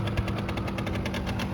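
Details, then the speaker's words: 1989 Yamaha Riva Razz 50cc two-stroke scooter (SH50), 2,500 miles, running after a tune-up and years off the road: crisp, even popping about ten beats a second, no misses; slight smoke, thought to be leftover oil in the oil line. "Smoking a little bit, but I think that's just the leftover oil that's in the oil line."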